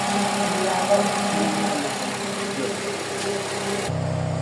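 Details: Honda CR-V Gen 3 K24 engine after repair (rat damage suspected): steady even idle with settled pulse, no shaking or stumbling; earlier shake gone, now smooth and quiet.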